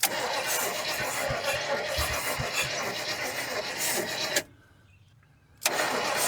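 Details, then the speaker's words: 1972 GMC 1500 that sat about 30 years, spark confirmed: sluggish, uneven cranking at roughly four turns a second with no catch, turning over too slowly to fire; weak battery suspected; slow cranking. "She turning over slow. That battery. It may not last long. I don't know."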